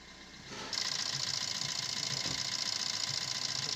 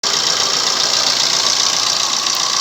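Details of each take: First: Maruti Suzuki Swift Dzire diesel at idle: even diesel clatter with a steady high whir on top, no timing chain rattle or slap; engine idles cleanly. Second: Maruti Suzuki Swift Dzire diesel at idle: a steady metallic rattle, strongest in the treble and unchanged at constant revs, from a worn, slack timing chain needing replacement.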